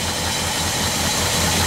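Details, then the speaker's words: 1976 Ford F-250 V8 with new carburetor, warming up, idling about 600 rpm; steady even low rumble, no stumbles or misses, holds idle smoothly and healthy. "all right so we got an idle right now it's about maybe um 600 RPM"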